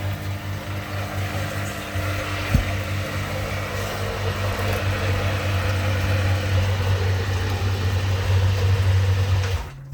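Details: Newly replaced sewage lift pump (relevage), tested via extension cord in the pit to check the float stops it: steady low hum with water churning, no knocking or grinding, cuts off near the end; pump works normally.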